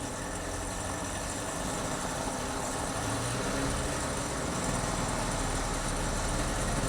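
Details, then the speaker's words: Chevy Z71 truck at idle with a busy metallic rattle under an even idle, no misfire or check engine light; suspected timing chain rattle, though belt tensioner, alternator or water pump bearings not ruled out. "I was hoping that rattling was going to go away. Let's shut it off. No, I don't think that rattling is going to go away, guys. There's something very wrong. I mean, it started better, but it sounds like timing chain rattle."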